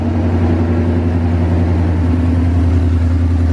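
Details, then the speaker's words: 2018 Mustang GT Gen 3 Coyote V8, first start after installing Comp stage 2 NSR cams, oil pump gear and crank sprocket. Loud, deep, steady exhaust burble with even firing and no ticking or knocking; oil pressure good. Normal idle. "Sounds good up here. Hey, no ticking, no knocking. That's good, right?"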